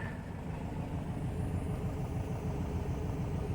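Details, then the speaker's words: Upright-converted VW Type 4 engine after replacing spark plugs, one of which measured about a hundred-plus kilo-ohms instead of about five; smooth, even idle with the ticking through the speaker gone. Normal idle after plug repair. "nothing all right so we found the bat's plugs i i checked the resistance on it and it was whacked"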